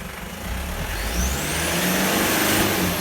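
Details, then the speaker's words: Toyota Land Cruiser Prado 1KZ-TE 3.0L diesel, about 400,000 km, 17 years old, after new genuine injectors and glow plug replacement: climbs smoothly from idle into a clean aggressive rev, no misfire, knock or stumble; healthy. "give it a bit more get more aggressive mate look at that clean as a whistle beautiful"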